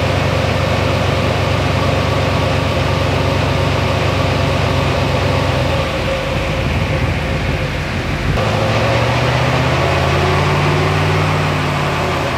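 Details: LS V8 swapped into a GQ Patrol with 6L80e, idling with an irregular low stumble about three to four a second; swapping injector plugs traced the cylinder 6 misfire to the number six injector wiring.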